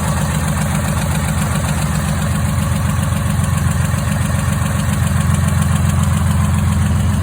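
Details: Freshly rebuilt, bored-over 3.9L V6 swapped into a Jeep JK, second start after install: steady low idle with a light regular tick near four per second; oil pressure light on, no pressure.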